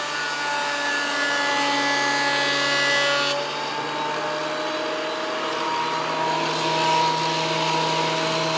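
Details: WEN PL1326 15-amp 13-inch spiral benchtop thickness planer, after repair of misuse damage (replacement knives and bevel gear set used), planing a bigger board over several passes: steady even drone with a smooth cutting hiss, no knocking or chatter; normal cut, within 0.002 in thickness.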